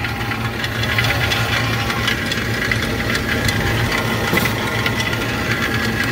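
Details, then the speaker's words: Walk-in cooler compressor on the roof, found during preventive maintenance: steady running hum with loose, irregular knocks and rattles throughout, like rocks tumbling inside; internal mechanical failure, though the cooler still holds temperature. Compressor needs replacing. "There are rocks bouncing around in that compressor. I am absolutely blown away this thing is still running, and it actually just satisfied on me."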